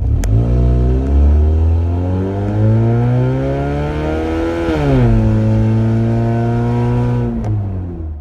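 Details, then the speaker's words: 2005 Scion xB after sitting several days, with exhaust leaks under the front seats and just before the muffler: loud, raspy drone rising and falling with revs, sounding like a go-kart; second such leak in a year. "I've got a really bad exhaust leak under the passenger compartment so we're gonna go get that fixed today it's actually the second time this has happened in the last year but it's pretty obnoxious [Music] this car sounds like a go-kart today"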